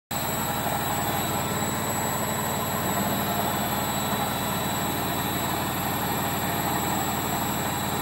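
Loud steady roar with a high whine running through the whole spin, no easing off; worn drum bearings.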